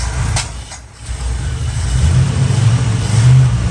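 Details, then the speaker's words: Barn-find Chevy Square body V8 with a 650 Edelbrock carburetor, fire-up after years sitting: a deep rumble revs cleanly and pulls evenly, with no knocks or misses. It sounds good but the carburetor is loading up; belts fine, fan clutch not loose. "Needs a little bit of work, needs a little love, but it sounds good. It's a good sounding engine."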